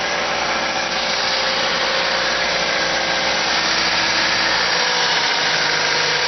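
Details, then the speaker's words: Car that revs up on cold start and when stopped in N or P, which also makes braking hard: a steady, fast idle with a hissy top end that never settles. Owner suspected a vacuum leak, but spraying carb cleaner found none. High idle, cause not yet found. "Today I want to show about the engine that sometimes rise up, rev up for a long time. Sometimes when I stop and put to gear P, it, the engine rev up, not down, rev up until I shut down the engine."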